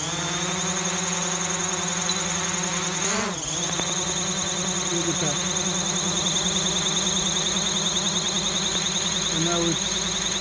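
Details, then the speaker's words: DJI Mavic (never crashed) hovering with no stick input: a loud steady propeller whine with pitch dips and uneven wavering as it wobbles and drifts, one motor seeming noisy. Fixed by restoring factory settings in DJI Assistant. "So it looks like one of the motors, and it's making a noise. You can hear that. And I'm not touching the controls at all."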